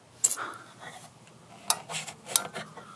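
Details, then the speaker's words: RV bathroom fan with no power during renovation, other lights also dead: a few sharp, uneven dry clicks about one every second or two in a quiet room, a thermostat or relay clicking while the fan gets nothing. Cause unknown. "like this fan used to work now there's no power but if you listen to it the thermostats clicking"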